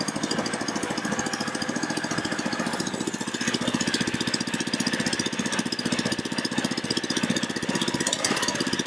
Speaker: I actually kick on my fuel pump which it's running may not be able to hear it and then this is obviously the start so let's see what happens